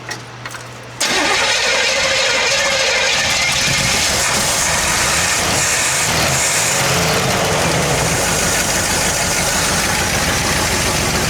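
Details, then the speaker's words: 1968 Buick LeSabre abandoned about 35 years, restarted after vacuum caps were fitted: engine catches and settles into a busy, even idle like a dream, with a faint light tick riding on top. Little lifter noise suspected. "Look at that. Like a dream. Oh my gosh. Sounds good. Little lifter noise."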